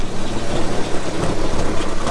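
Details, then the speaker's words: 1985 Mazda 929 HB coupe, first start in 10+ years after fixing reversed fuel pipes that aerated the tank: low, uneven, lumpy idle; running rough and needs a service. "she's a bit rough, she needs a service, but check that shit out."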